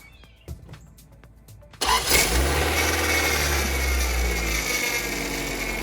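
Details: Honda/Acura power steering pump after the reservoir inlet and pump hose o-rings were replaced to cure whining: engine catches and runs steady; the brief whine fades within seconds, leaving no lasting pump whine, so the pump is healthy.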